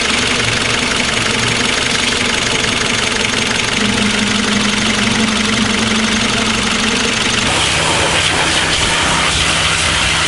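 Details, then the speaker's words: Honda Del Sol with a replacement B16 VTEC engine after engine failure, running after the swap: steady four-cylinder idle with a bright top end, no misfire or knock, a tone shift midway; idles normally. "Getting closer, we got it running, it seems to be idling now."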